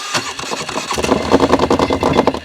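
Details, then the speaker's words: 2005 or 2006 (owner unsure) Polaris Sportsman 400 that won't drive after mudding, started on choke in neutral: harsh rattling, grinding clatter in quick bursts over a choppy idle; clutch or belt suspected, not confirmed. "It sounds like it's either the clutch, the belt. Something's making some horrible noises over there."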